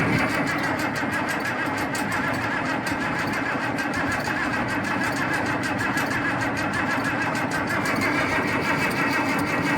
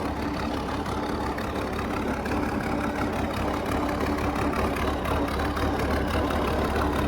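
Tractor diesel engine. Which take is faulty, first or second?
first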